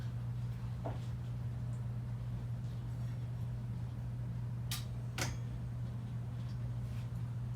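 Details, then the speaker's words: About 100-year-old Westinghouse "Baby Sidewinder" ceiling fan, style 393177, rebuilt with a new bearing, new power wiring and new blades, on a KB speed control at slow speed: low steady hum, no rubbing, ticking or grinding; very quiet, normal. "So this is the slow speed. Very quiet fan, actually, for being 100 years old."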